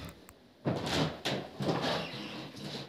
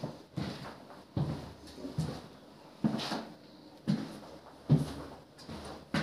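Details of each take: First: Apartment wooden floorboards on joists before repair: loud creaking squeaks under each footstep, later fixed by screwing boards to the joists. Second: Wooden apartment floor after screwing about 100 screws through the boards into the joists: steady dull footsteps with no creak or squeak.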